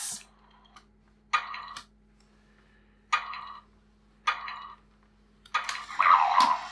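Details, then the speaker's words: Harry Potter Monster Book of Monsters toy, sold stuck shut: short smooth whirring gear bursts about every 1.5 seconds; the jammed mechanism, freed by rotating it with tweezers, now turns freely again. "right so i think the mechanism had just jammed and by rotating it several times with the tweezers i managed to get it to go again"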